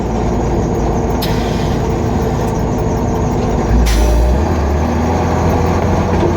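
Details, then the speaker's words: Military M923A2 5-ton 6x6 diesel driving in second gear, foot to the floor; steady diesel drone with faint air hiss as the compressor tops off brake tanks at about 120 psi, normal. "You can hear the air compressor topping off the tanks. Right now my tanks are both at 120 psi."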